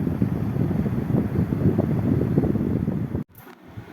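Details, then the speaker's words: Air conditioner (Midea/Hisense/Electroline/Beko type) after control board repair, outdoor unit: steady low whooshing fan with even motor hum, no knocks or rattles, then it cuts off; motor and fan running again normally, repair successful. "E come potete sentire il motore è partito."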